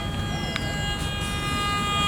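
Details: Metal detector sweeping non-metal ground with no target under the coil still sounds a steady high tone and its LED blinks; the threshold is set too high, giving a false signal.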